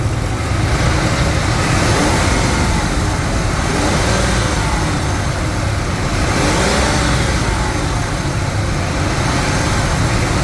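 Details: Ford 5.4 liter 2V V8 revving after repair with Cometic head gaskets, ARP head studs, compression raised to 200 to 220, no coolant or oil leaks: deep even note climbs smoothly and settles with no miss, knock or tick; normal revving.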